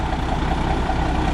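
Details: 1991 International 9670 Eagle truck diesel after cab lock, fuel line and injection pump work: deep, steady low rumble with an even beat and no misses; idles smoothly, starting perhaps easier than before.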